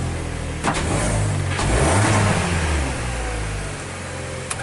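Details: 2014 Hyundai Tucson after a basic service (spark plugs changed, injectors cleaned), hesitating on acceleration; heard by the muffler, the exhaust stumbles and breaks up as revs climb under throttle: misfire traced to counterfeit replacement spark plugs.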